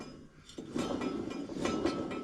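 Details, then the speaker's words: John Deere S240 mower deck that was loud and throwing belts: rocking and turning the blade by hand gives a rough, gritty scrape with loose clinks and up-and-down play. Spindle bearings are worn; spindle needs replacing. "when I'm moving it back and forth, I mean, you can hear how loud it is. It's got play also, up and down play. That spindle will need replaced"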